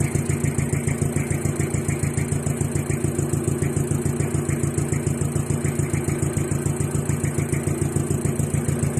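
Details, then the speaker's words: DeVilbiss 445 air compressor running: steady fast intake pumping thump with crisp valve clicks and a faint squeak the owner thinks sounds like a belt. "I still hear the intake pumping but I can hear the valves click and clear as day and uh I personally think it's kind of cool but there but then what sounds like a belt squeak"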